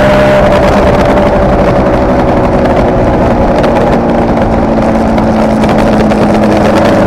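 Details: Kawasaki KR250A two-stroke at idle, recorded while the engine still ran: uneven, stumbling beat with occasional dropouts; tachometer moves oddly at idle, owner suspects one cylinder misfiring intermittently (tach tied to its wiring), appearing over the last three runs.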